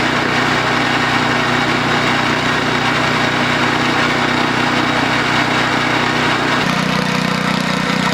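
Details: DR RapidFire PRO-XL log splitter, just back from the shop, engine at full throttle splitting dried cottonwood: loud raw rasping exhaust with an uneven pulse, harsher near the end; the muffler failed within 30 minutes of use.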